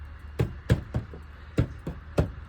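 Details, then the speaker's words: Maruti Suzuki A-Star about 15 years old, 40,000 km, heard from inside the car: six dull, uneven hollow knocks in under three seconds, plastic slapping metal; loose door visor knocking against the door. "धक्का मारना आवाज आ रही है। यह दरवाजे से हमारे पास और भी है यहां जांच करें।"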